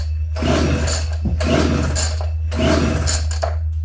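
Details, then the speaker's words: Homelite Super 240 Classic chainsaw, unused for over 20 years, tank found bone dry, choke on, trigger held. Three rough recoil pulls die away without catching, though it seemed to want to fire: cranks but won't start. "well it sounded like it wanted to fire I held the trigger down with the choke on and it kind of sparked a little bit and showed maybe it might have some life to it"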